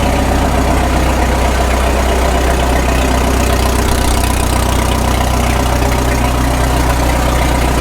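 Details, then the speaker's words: 1936 Caterpillar Twenty-Two tractor, stationary because the clutch will not release, after sitting for years: an even low chug of about four beats a second with no stumble, and the carburetor is judged to need no adjustment. Normal idle. "I don't even think we have to adjust that carburetor. No, it sounds good."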